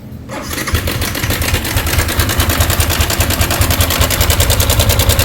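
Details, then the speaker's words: Yamaha Sniper 155, 24,997 on the odometer, arrived reportedly not running: engine catches and idles with a fast, tinny metallic rattle over the beat, diagnosed as the cam chain tensioner. "May dalang lato-lato. Namaralan. Alam na this, tensioner."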